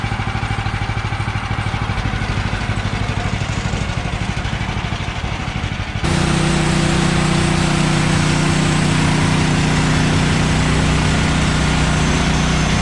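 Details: Bandsaw sawmill engine drone drops into an even humming cut of 3/4 x 6 inch boards after Pine-Sol water lubricant was reduced (excess made blade slip off wheels); clean blade tone, no squeal or flutter: normal cutting.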